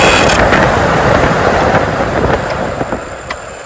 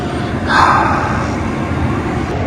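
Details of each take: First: 2004-2008 Ford F-150 blower motor tested out of the truck after resistor replacement, voltage present: spins up loud then sags and runs rough with uneven catches; intermittent, bad internal connection suspected. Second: 2004-2008 Ford F-150 cab blower after replacing the faulty blower motor (fuses replaced, controls verified with voltage); strong steady rush of air on high, no squeal or rattle; blower working properly.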